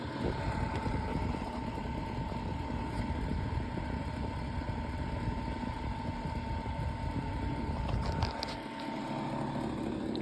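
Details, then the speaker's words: Vintage 7-inch Zero desk fan model 1250R running: steady motor hum with a fine buzzing rattle throughout, which is the table vibrating under the fan, not the fan itself. "Now, all that rattling that you guys are hearing is the table. It's not really It's not the fan. It's the table."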